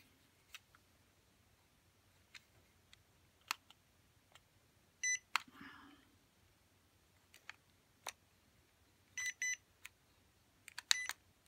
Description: shows problem where about 50% of time the motors don't start up when commanded.